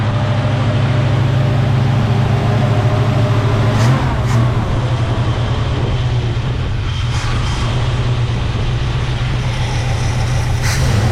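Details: 1975 Chevy C10, 454 big-block V8, carbureted, after new fuel pump and shimmed starter: steady, even, deep idle rumble with no stumble or misfire while warming up; running normally.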